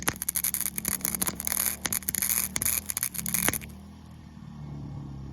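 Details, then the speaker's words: WEN 2000W inverter generator powering a 90A flux-core welder with the wire feed at 2.5: the arc crackle cuts off, leaving the generator drone, as the overload trips. Keeping the feed at 1–2 avoids the trip. "if I run like between one and two on the feed it won't trip the overload on the generator"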